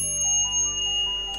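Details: Multi-function electric cooker's mechanical timer, unit opened for repair: clear ringing ding with long even decay, then the timer clicks off at end of cycle; timer still good.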